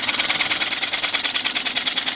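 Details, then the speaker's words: Lathe twice-turning a dried, slightly out-of-round green-wood bowl, reshaping the corner profile with a carbide tool: rapid rhythmic chattering scrape, a hiss pulsing several times a second as the tool bites only the high side; interrupted cut. "is just slightly out of round we don't have to do the whole thing right up to the top it would just go close"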